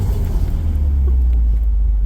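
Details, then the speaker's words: Nissan S12 with swapped SR20DET, previously low on power as revs rose, on a short parking-lot test drive with a barely attached fuel-line barb fitting: a strong, steady drone under light throttle with no hesitation. The test drive was judged a success. "That's why I installed an SR. Oh, yes. I am very, very happy about that."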